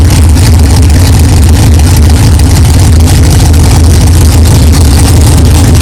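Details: 1964 Chevelle with freshly built 383 stroker V8, first fire-up after 8-month build; 63 lb oil pressure, 11° timing, not yet warm. Deep lumpy idle, steady and even, no knocks or clatter, good oil pressure; normal idle.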